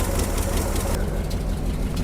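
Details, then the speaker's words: 1976 Jeep J10 truck, 401 engine, running after 29 years parked, fitted with a new fuel filter, electric inline pump and boat tank: rough loud idle with a raw chuff from the passenger-side collector, whose gasket is gone. Exhaust manifold leak. "And it's got a huge exhaust leak on the passenger side. the collector donut, the little gasket in there is gone. So, it's just shooting out the side."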